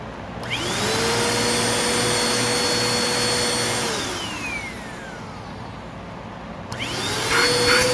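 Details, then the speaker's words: Bissell PowerForce Compact Turbo vacuum after service, reassembled with attachments: motor spins up to a steady, even whine, winds down smoothly and restarts cleanly with no grinding or rattle; sounds much better than before. "Well, that sounds a lot better than it did."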